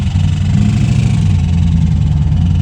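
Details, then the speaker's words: V8 ex-police Crown Victoria sleeper daily, smoking heavily: deep uneven lumpy idle with unsteady throb, sounding close to failing; owner fears it is about to throw a rod, cause unconfirmed. "it's about to throw a rod too try to keep the idols down it's definitely going to BL I don't know what I did"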